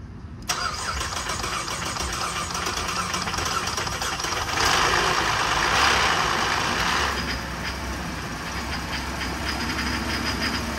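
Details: GM 3.6L engine on first start after a timing chain replacement: it catches and runs with a busy ticking clatter that eases over several seconds as the oil comes up.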